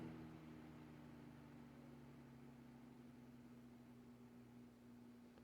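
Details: Vintage Kenmore 124.8055 (Dyna Mimar) fan, failed speed coil replaced with triac control, turned down; quiet steady motor hum with faint electrical triac buzz from the duty cycle, no rubbing or rattle; normal low-speed running.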